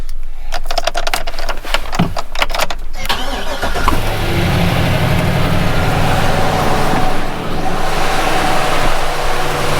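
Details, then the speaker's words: 2013 Chevy Silverado 2500, 534,000 km, original spark plugs: starter cranks about three seconds, engine catches and settles into a smooth even idle, no ticking or knocking; normal start and idle. "day nice and strong no ticking or clocking"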